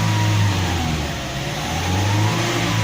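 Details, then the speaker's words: Toyota Innova four-cylinder after spark plug check, revving without load: revs up smoothly and settles back to a steady even drone with no stumble; engine normal. "Nah, kita lihat di sini tadi suaranya adalah tidak pincang. Nah, ini menandakan bahwa mesin sudah normal dan layak untuk digunakan."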